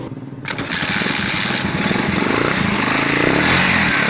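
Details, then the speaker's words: Tiger motorcycle engine after repair of a heavy knocking noise: catches and settles into a quick, even beat with no knock or clatter; knock gone and sound back to normal, though the carburetor is worn and may need replacing. "والموتور صوته رجع طبيعي زي ما حضراتكم كده سامعين صوته بالظبط. الخبطة اللي كانت راحت فيه خالص"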